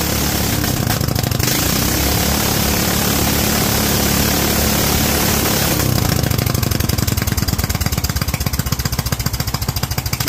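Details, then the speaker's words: Kohler single-cylinder engine with Honda-style carburetor, .024 idle jet and 47 main jet, set up for cold-weather use: pops along at an even, steady beat with no misses or hunting. Normal running after rejetting; 45 had slightly more kick. "47 seems pretty happy I think it had a little bit more kick up with the 45"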